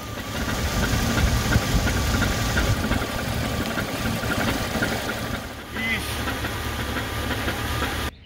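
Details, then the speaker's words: 2001 Jeep Cherokee XJ 4.0 six-cylinder, recently lifted, idling with a deep hollow clunk about three per second: rod knock, engine to be swapped. "but unfortunately now it has a rod knock yes that unmistakable clunking sound sounds like somebody playing drums on a home depot bucket"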